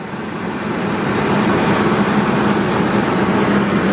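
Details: 1999 Ford Expedition idling right after radiator replacement, coolant still low, while transmission lines and hoses are checked for leaks: steady even low idle drone, no knocks, misses or squeals; normal healthy idle.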